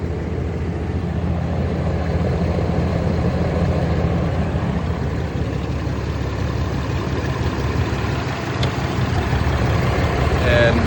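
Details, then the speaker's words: 2021 Ram 2500 Cummins diesel at idle, noise heard mostly right behind the grille: deep rough growl with uneven throb; fan clutch seen wobbling and belt wandering on pulley, so fan clutch play suspected. "Customer complaint, they hear a growl at idle. Well, they called it a funny noise. I'm calling it a growl."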